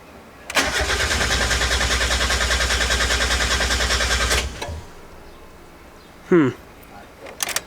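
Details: 1990–1993 Mazda Miata on its first start attempt after a SpeedyEFI plug-and-play standalone ECU install, MAP vacuum line just connected. The starter spins evenly for about four seconds with no firing: crank, no start from a wrong MAP sensor calibration.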